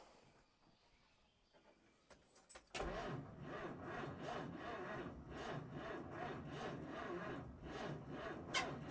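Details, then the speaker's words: 1950 Dodge Power Wagon being revived after it backfired: the starter churns at an uneven beat of almost three pulses per second and never fires. The plug leads were in the wrong place, leaving the ignition about 30° out of timing, so it cranks but won't run. "these plug leads was on in the wrong place and they were basically about 30° out timing wise"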